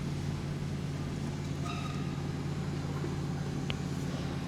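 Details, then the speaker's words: 2019 Honda Pilot 3.5L Earth Dream, 6-speed, at idle with mic in the cabin: steady low droning roar like a bad wheel bearing while stationary, inaudible under the hood, louder with revs; failing high-pressure fuel pump. "It's like a like it's like a bad wheel bearing. You can't hear it underneath the hood, and when you give it a little bit of a rev, it makes it even louder."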